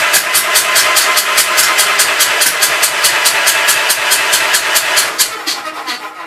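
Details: Gravely Pro 12 tractor, remote air cleaner left open (owner suspects water got in): fast even cranking at about five hissing puffs a second, never fires, some fire from exhaust; stuck intake valve, tapped back down.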